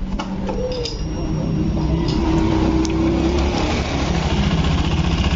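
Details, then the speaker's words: Honda Beat Eco scooter, still noisy after cam chain tensioner replacement and valve adjustment: rough, busy clatter from inside the engine; suspected loose piston, camshaft bearing, connecting rod or crankshaft bearing. Not confirmed. "bisa jadi Setang Seher nya sudah kena dan bisa jadi bearing kruk-as sudah kena ya jika suaranya masih berisik antara bearing kruk-as Setang Seher piston sudah longgar"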